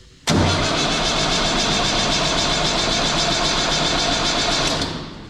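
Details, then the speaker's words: Universal tractor starter cranking when very cold, fine when warm: long, harsh metallic starter whir that never catches and drops off, pinion not pulling back; owner suspects the starter solenoid, not the gear. "çok soğukken çok zorlanıyor dinama dişi geri çekmiyor O zaman dişte değil sorun otomatikte olmalı Belki de"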